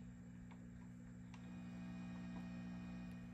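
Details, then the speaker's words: Swart AST Pro tube guitar amp with everything off: quiet steady mains-pitch power-line hum with buzzy overtones, partly exacerbated by the reverb circuit; could be tubes or anything from phase inverter to wall. "Some of it is exacerbated by the reverb circuit. So with everything off, we're getting some power line hum."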